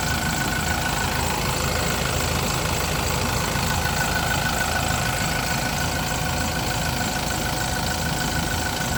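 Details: Yale diesel forklift after a crank-no-start repair (ran about 5 seconds then shut off; owner had checked fuel and pump), running after a boost start; steady, even diesel clatter at idle, no misses or surging; normal idle.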